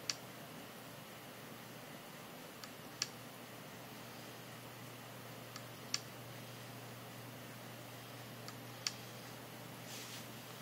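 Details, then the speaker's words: Hard drive connected through a USB adapter gives sharp single clicks about every three seconds over a steady low hum, then stops; owner suspects the "click of death" of a failing drive, about 95% of its data recovered. "I want to know if this is the click of death"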